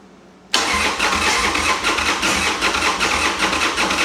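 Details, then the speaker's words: Harley-Davidson Sportster V-twin after sitting 8 months, fuel on and choke: catches after one short crank, settles into even lumpy idle; easy healthy cold start. "There it is. Oh yeah. This is probably one of the purest sounding smores out there."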